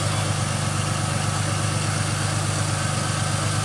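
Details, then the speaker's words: 2005 Ford Mustang with rebuilt, retimed donor engine, first start after sitting about 12 years; steady, even low rumble with a smooth, regular beat, no knocks or misses, idling cleanly, no dash lights. "Hell yeah, guys. It's smooth. Really smooth. Sounds real nice."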